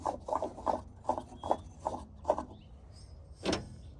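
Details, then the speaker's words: Lawnmower deck pulley, swapped replacement flicked by hand after a loud-deck repair: short, even whirring bursts about every half second, no grinding or catch; pulley spins freely. "look at that that sounds great that sounds good so I'm pretty excited now that one's going in the trash"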